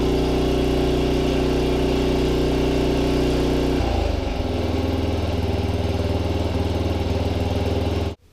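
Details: Snow blower single-cylinder engine newly fitted to a tiller replacing the noisy original, no air filter yet: runs steady and even, settles cleanly to lower speed, then shuts off; healthy.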